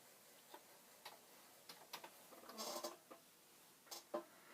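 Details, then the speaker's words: Commodore 1541 disk drive that previously refused to read, loading a program with instructions: quiet soft ticks at uneven intervals as the head steps, no harsh knocking; drive reading normally. "let's go for a load runner with instructions that sounds like a longer load"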